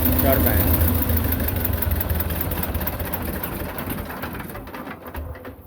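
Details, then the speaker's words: Belarus 250 tractor, 2-cylinder air-cooled diesel, sat for years; low idle after cleaning debris from lift pump poppets, even pulse about 3.5 per second, no stumbling; normal diesel idle after repair. "but you can leave that at a kind of a low idle like this and don't forget got a foot throttle on"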